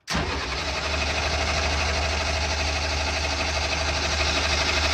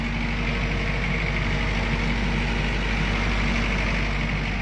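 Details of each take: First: Military diesel generator bought broken, cranking after cracking injector lines and opening bleeders with little fuel delivered: steady starter cranking about three beats a second, never catching; shutoff solenoid next to be checked. Crank, no start, fuel starved. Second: Military diesel generator after repair of shutdown fault: deep, even rumble holding steady speed with no knocks, misses or hunting; voltage and frequency controls audibly change with rpm; running smoothly.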